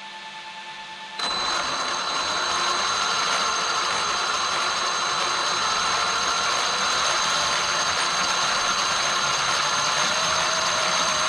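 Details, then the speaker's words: Traxxas X-Maxx RC truck after cushdrive repair, which had been chewing spur and pinion gears: motor holds one steady high whine, no longer surging high-low as before; drivetrain running smoothly. "you can hear how it's real consistent now it's not going high low high low high low like the last video"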